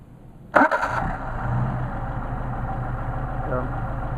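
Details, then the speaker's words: Mercedes 190SL with rebuilt Solex 44PHH carburetors, hot restart: engine catches quickly and settles straight into a steady, even idle with no stumble or hunting; normal hot restart. "Restart hot. Idle's great. These are a great set of carburetors."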